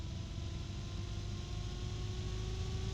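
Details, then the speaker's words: Case fan run at its lowest speed, thought to be about 800 rpm, needing full voltage to start: steady deep loud hum with faint constant tone above, measured 60.9 dB, bearing condition being checked. "okay there's a very low hum to it and it's loud 60.9 DB loud so think about that"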